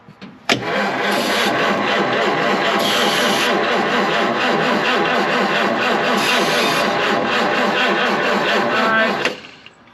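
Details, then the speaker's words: 1953 Chevrolet 210 barn find being revived, debris suspected in the fuel: about nine seconds of steady starter cranking with even compression beats, but it never fires. Crank, no start, no fire. "I don't think we got any uh All right. I don't think we got any fire. Nope."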